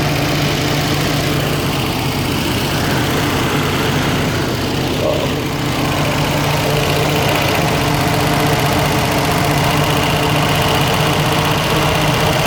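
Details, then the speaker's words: 1972 Range Rover A-suffix V8 with idle set high, around 1750 rpm: loping, slightly uneven burble; probably running a little rich, not confirmed. "he's blowing a little bit of fun probably just running a little bit rich"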